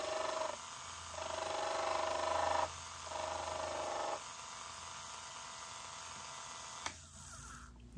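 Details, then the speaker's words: Rebuilt Elson-USA watchmaker's lathe on its first cut, hand graver turning a 1/8-inch brass piece: steady hum with a buzzy ringing squeal on each cutting pass, dropping away between passes; operator calls it chatter, cause suspected, not confirmed. "I guess that's what's called chatter uh because it was chattering"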